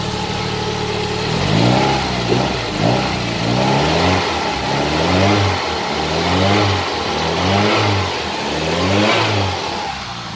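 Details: Toyota Caldina ST215 with a 3S-GTE and Link Storm ECU, not run for about two years, running again after an earth fault was fixed: it catches and revs freely in quick, clean blips, pitch rising and falling evenly. Normal revving.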